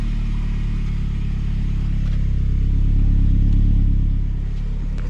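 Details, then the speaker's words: 2002 Saab 9-3 convertible after readjusting leaking exhaust clamp (still slight leak at crack): deep, even idle rumble with no metallic rattle; much less rattly than before, may return when driven. "Sounds much better. Doesn't sound so rattly, right?"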